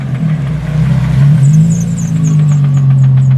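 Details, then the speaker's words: Nissan G35 sedan engine (stock motor, turbo kit removed, bottom end not built) with a deep metallic rod knock about four times a second over the low running drone; described as sounding like a wrench banging on it, a $400 motor done for. "Damn, somebody banging a wrench on there? Yeah. Rod knock? RIP to $400 motor."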